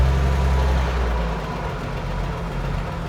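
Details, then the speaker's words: Old Chevy truck after HEI distributor swap and breakdown, idling with oil pressure and charging at idle: steady low idle with a recurring stumble about every quarter second; persistent misfire, cause not found, owner considers changing the ignition module. "Still got that miss. This is weird. Oh, it's not happy."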